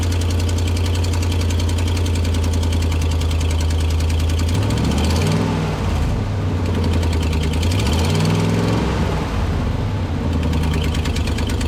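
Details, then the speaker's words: Chevy Silverado/GMC Sierra V8 idling and revved: fast sharp ticking that speeds up with revs, from exhaust manifold leak caused by three broken manifold bolts. "there is one two three broken bolts for the exhaust manifold and there's actually exhaust leak right here so we'll start that up so you can hear that"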